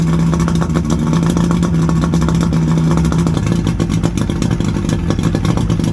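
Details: 1979 Steury X150 boat's 90 hp Johnson Seahorse V4 two-stroke outboard running out of gear, telltale plugged: loud steady buzz with even crackly beat, no dropouts or knocks; runs good, could probably use new plugs.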